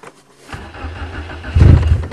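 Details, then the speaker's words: 1994 Nissan Sentra 1.6 manual, cold start at minus 12 °C after minus 16 night: about a second of slow labouring cranking then catches with rough surging fire, later smoking and runs good; hard cold start. "i don't hear the fuel pump come on starts like the talon definitely not a cold weather car same every time"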